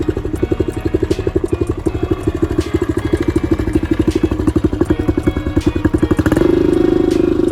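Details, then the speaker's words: 2014 Honda CRF125F single-cylinder after cam timing was corrected; it now revs up well but smokes badly and needs a top-end rebuild. A light rattling clatter from the top end over the exhaust: loose cam chain. "so now it runs great revs up like it should but it's going to need a full top hit rebuild it's smoking pretty bad and the cam chain is super loose"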